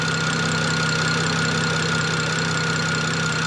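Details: BMW E90 N54 twin-turbo with Vargas turbos, being checked for no-boost problem, at idle with vacuum about -26 at canister and wastegates closed: smooth even idle, steady hum, faint whistle, no knocks or misses; normal idle.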